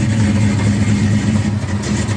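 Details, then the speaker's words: Cold idle of a 1966 Mustang GT fastback V8 on its original factory pipes and 1965-dated Ford mufflers, before the exhaust replacement: deep, even burble with steady firing and no misses or knocks; sounds healthy. "cars cold but it sounds good so the system is original from that whale to that weld right there Factory pipes very cool"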